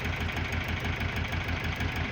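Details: GAZelle with Cummins ISF 2.8 common-rail diesel, 165,000 km, misfiring, smoking and sneezing: deep uneven idle with a lumpy, stumbling beat and skipped pulses; rough shaking idle with misfire, cause not yet found.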